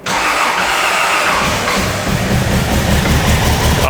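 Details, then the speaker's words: Toyota Land Cruiser 80 series, after new spark plugs, a secondhand alternator and an airflow meter: starts, no longer rev hunting, but runs rough with a stumbling misfire, then dies; distributor timing loosened; owner suspects a faulty injector. "Oh my god, it's still misfiring. It's definitely not rev hunting anymore, but it does sound like we're going to misfire."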